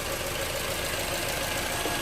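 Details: 2011 Toyota RAV4 idling after alternator and belt replacement (old alternator found bad), charging at 13.6 V; even, steady idle with no squeal, slap or knock; new belt and alternator running smoothly, normal idle.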